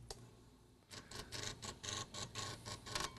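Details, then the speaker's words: Tandon TM100-2A floppy drive during clean command: quiet uneven stepper ticking, about two a second; head reaches the end but fails to return to track 0, same with both resistor packs, before swapping the logic board. "And then it fails going back."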